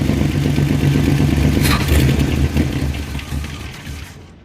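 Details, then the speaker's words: 1966 Mustang, long-stored garage car with a big exhaust leak: snapping the throttle makes the rev hesitate, sag and nearly die instead of picking up cleanly; off-idle stumble from a failed accelerator pump giving no squirt of fuel. "I snap the throttle and it's not getting that squirt of fuel from the accelerator pump."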